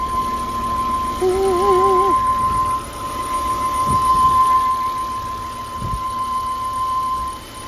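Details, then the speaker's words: 2007 Volvo C70 T5 convertible at idle, hood open, no warning lights: a thin steady whistle. It stops when a PCV-area cap is removed to relieve pressure and returns when refitted. Source not confirmed. "the only thing I'm hearing is I'm hearing this little you can probably hear it too it's a little of a whistle"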